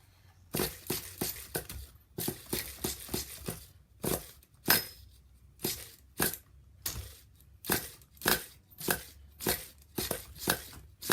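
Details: New DTX 18 nitro RC engine, pull starter: uneven raspy zips about a pull and a half per second, slipping instead of catching, engine never fires; one-way bearing feels gummy and is suspected, not confirmed.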